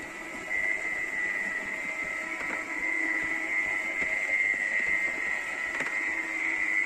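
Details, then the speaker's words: Becker R12/17 RP+ tubular motor (2010, about 10 years' use) in a Compobaie roller shutter, after motor capacitor replacement: steady high-pitched hum at even pitch with faint slat ticks, much quieter, no clattering; normal running. "ça fonctionne moteur est beaucoup plus silencieux terrain on ne va pas les claquements"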